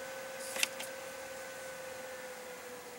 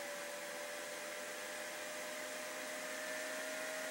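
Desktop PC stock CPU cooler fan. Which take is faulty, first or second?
second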